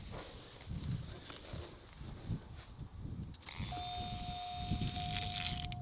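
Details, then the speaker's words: 1991 Oldsmobile Ninety-Eight electric fuel pump, removed and bench-tested on the factory harness, starts with a whine and rough, chunky undertone, grinding as it spins down. It runs without blowing the fuse; the fuse-blowing was later traced to the relay. "oh it sounds a bit chunky hear the grinding when it spins down I don't that don't sound good"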